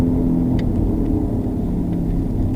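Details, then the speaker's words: 2007 Subaru Legacy on the road: a low, steady droning front wheel bearing howl over road rumble that changes when the wheel is jerked left, pointing to the inner half of the bearing, which is suspected worn. "Now, if we take the car, now notice how it changes when we jerk the wheel to the left. So that tells me that's the inner half of your wheel bearing."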